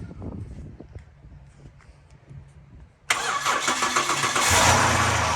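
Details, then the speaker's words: Breeze XR6 2.5 Aggressor six, first start after 5–7 years sitting, battery in, throttle body cleaned, no coolant yet: three seconds of near silence, then it catches cleanly into an even, quiet idle with no knocks or misses. "You're kidding me. And it's quiet as. There it is. It runs."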